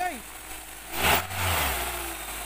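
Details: 2002 Honda CR-V with the K20 engine after a starter replacement for a grinding no-start. A brief cranking burst, then the engine catches and settles into a steady, low, even idle with no knocks or misses.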